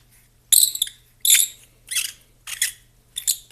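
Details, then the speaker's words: Garage door roller turned by hand: sharp, high-pitched squeaks in uneven bursts, stiff rotation; worn, shot roller bearings. "and in fact they do turn very stiffly you still turn you can hear the bearings in there just having a good old time"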